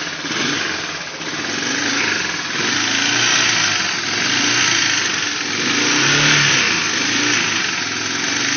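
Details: 1989 Honda Fourtrax 300 ATV, first start after a frame-up restoration and rebuild; small single-cylinder idles and picks up revs cleanly, even note with no knocks or misses under the hiss: normal idle and revving.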